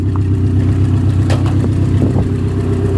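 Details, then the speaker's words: Junkyard 1998 Subaru Legacy idling with air conditioning on: steady low idle with an even pulse around four per second, no squeal or rattle; compressor engaged, pressure side hot, return line cold, AC working normally. "Pressure side, and the return is nice and cold. You hear that spike punk? The air conditioning works in this junker."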